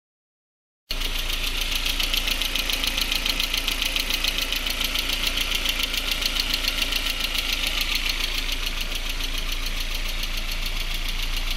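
Steady idle with a sharp, even knock about three to four times a second throughout; a clear internal engine knock, cause undetermined.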